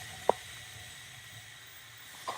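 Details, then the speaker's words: Pressure cooker of beef curry turned down to gentle heat on the small ring after reaching pressure: soft, steady hiss with two brief clinks as it holds pressure normally. "I'm just really gentle and you can hear the hissing"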